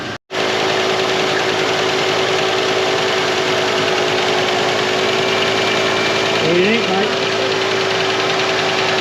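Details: 1990 Ford LTD Crown Victoria first start after 8 years sitting in a field: steady even idle with faint patter underneath, running a little rough, probably stale gas left in tank.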